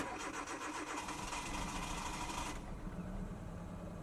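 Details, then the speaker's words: 2009 Hyundai Accent with an intermittent long-crank no-start, after replacing spark plugs, O2 sensors and then the crank position sensor: uneven cranking for about 2.5 s before it catches. Start improved but still hesitant. "We replaced the crank positioning sensor, and we're still having a bit of a hesitation at a start."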